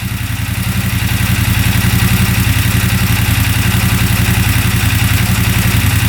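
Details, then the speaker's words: 2016 CFmoto Zforce 800 Trail UTV twin, first start after sitting, warmed up with water pump circulating and temp gauge steady: even, smooth idle, no knocks or rattles, not overheating. Normal idle. "The temp gauge is staying right there. So, it's not overheating at all. Sounds great."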